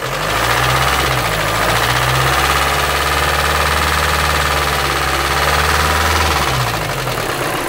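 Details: Volkswagen Amarok 2.0 diesel at idle, low oil pressure when warm: steady, fairly even knock over the clatter, about three to four a second; engine knock, previously had head work done.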